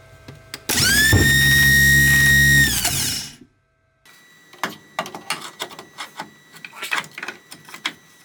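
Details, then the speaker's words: Starter from a 1956 Buick Century 322 nailhead that sat 41 years, bench-tested after a specialty shop rebuild: spins up quickly to a smooth, steady high whine, then winds down cleanly with no grinding; normal starter. "i had a local specialty shop go through my starter it's working great now i'm just gonna test it real quick and then i'll proceed with putting it on the vehicle"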